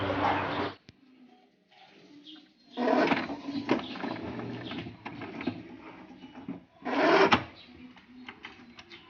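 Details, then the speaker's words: HP Ink Advantage 3835 inkjet printer that works normally but makes loud rattling clatter on carriage passes, caused by a slipping carriage drive belt. "โอเคครับก็จากที่ดูอาการกันไปนะครับผมไอ้ตัวนี้นะครับอาการที่มันมีเสียงดังเนี่ยถ้าเกิดจากสายพานเครื่องนะครับ"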